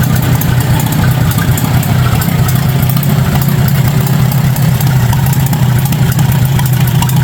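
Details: 1953 Farmall Super A barn-find tractor, first start after carburetor cleaned (jets cleared, stuck float freed), bottle-fed gas; loud steady low rumble with fairly even beat at constant speed, no stumbling or popping, running fine.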